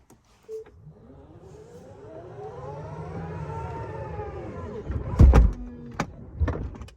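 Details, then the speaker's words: 2022 Tesla Model X falcon wing door after panels were realigned under warranty to cure a squishing noise: a smooth motor whine as the door travels, then a firm, clean latch thump. The squishing is largely gone. "it doesn't do that sound where it's just like squishing something like it feels like this is all getting squished"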